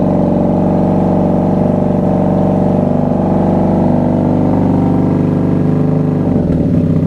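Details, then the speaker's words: 1994 Honda Magna V45 VF750C V4 motorcycle warming up on choke after a cold start: smooth, even low rumble with a steady beat and no misses or stumbles; now running on all cylinders, normal idle. "Woo, she sounds good. Now she's running on all cylinders."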